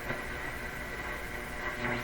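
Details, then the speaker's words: Loewe Opta Bella Luxus 5711W AM/FM/SW radio at first power-up inspection, tuned on shortwave below the 9.330 MHz station. A strong, steady low mains-like hum comes in with a station under the hiss; the cause is not yet found. "going lower quite a strong hum has come in okay during the tune in a station hum comes with it"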